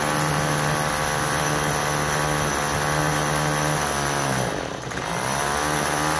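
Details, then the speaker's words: Troy-Bilt TB32EC two-stroke straight-shaft trimmer, choke fully off: a high buzz that sags and falters on throttle before recovering; it stalls when given gas because the carburetor needs adjusting. "all right so it's off the choke all the way and as soon as you go to give it gas it is stalling out that's what's going on with it"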